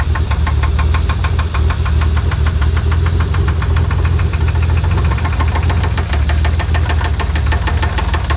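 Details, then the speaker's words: 1992 Dodge Stealth R/T twin turbo running at idle with the valve cover off; sharp, even knocking about six per second. Lifter tick was first suspected, now they think a spun rod bearing or other bottom-end fault. "it's not looking good for this thing we're thinking we have either a spun rod bearing something bottom end"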